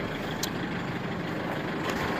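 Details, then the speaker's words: 2005 Isuzu D-Max diesel that was hard to start with long cranking, knocked, and would not rev past 2000 rpm; after a part replacement it starts normally and revs. Steady, smooth, even idle with no knocks. "อาการเตะอาการเขตไหนครับหายเลยกางเกงจังปั่นเครื่องเดินเรียบนิ่ง"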